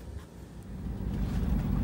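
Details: Bluebird Wanderlodge motorhome with an 8V92TA wet-liner two-stroke diesel, bus in good shape, idling before routine service: a deep, steady diesel rumble that grows slightly louder, with no knocks or misses. Normal, healthy idle.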